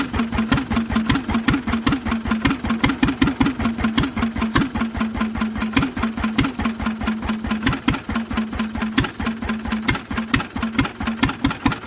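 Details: Lister engine on its first start in 40 years, on a little choke while the fuel needle is balanced: even chugging exhaust beats at a steady speed with a noisy exhaust and no big-end knock; the engine runs healthily.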